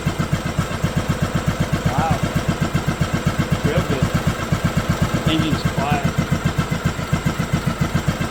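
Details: 2011 John Deere D110 mower, engine reassembled from boxed parts, restarted off choke, throttle cable not hooked up, expected to smoke: even quiet single-cylinder putter with steady beat, no knocks or misses; runs good.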